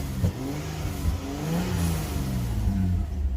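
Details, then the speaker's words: Mitsubishi Magna TL VRX with about 149,000 km on the clock, started and revved: a smooth, even rise in deep exhaust pitch with a clean rumble through the standard VRX muffler, no knocks or misses; normal healthy engine rev. "So you turn it on. It's got a really nice rumble to it."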